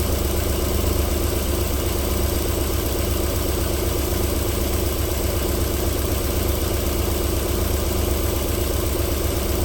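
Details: 1994 Alfa Romeo 3.0 24v QV engine, cold start-up idle settling into a silky, even low beat of about four pulses a second with no knocking; a normal cold idle before knocking returns after about 4 minutes.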